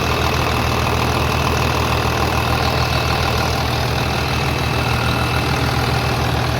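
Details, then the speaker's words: 3588 diesel after engine rebuild (new cylinders and pistons), 7,338 hours, idling after leak check; loud, even clatter at steady idle about 200 beats a minute, no knocks or misses, healthy normal diesel idle. "we got 7 338 hours on it with a brand new engine looking good sounding good i can't believe how quiet it is"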